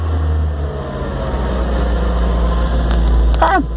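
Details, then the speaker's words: 1990 Dacia 1310 estate, first start after winter lay-up, fuel lines reconnected without fuel filter, jump-assisted from a running modern Ford; low, steady rumble with no misses, knocks or surging. Normal running. "Fantastic! Oh, I do like it when something actually works for a change."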